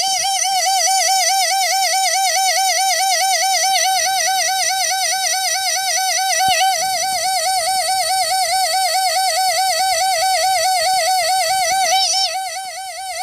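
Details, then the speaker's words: Mercedes 600SL V12 throttle body motor (early 92–93 type): loud, wobbling squeal over a quiet hum, reproduced by tapping, with no axial shaft play. Spraying the end bearing quiets it, pointing to worn sleeve bushings; the planned fix is a sleeve repair and gear height readjustment. "here funny funny problem now I'm going to try to now I'm going to spray some of this stuff at the end bearing quiet so the sleeves sleeves are messed up"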